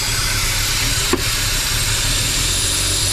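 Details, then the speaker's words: BMW N54 engine after 800HP+ fuel system install (port injection, flex fuel), idling: steady hiss of air sucked in, misfiring, then sharp backfire pop; intake manifold not sealing on head, bank one significant leak running way too lean. "backfiring hey manifold's leaking bugger look at that bank number one significant leak way too lean"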